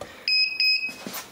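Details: Edecoa 2500 W pure sine wave inverter on a 12 V battery (12.4-12.6 V) with undersized cabling: three quick high-pitched beeps in under half a second, its low-voltage alarm under load.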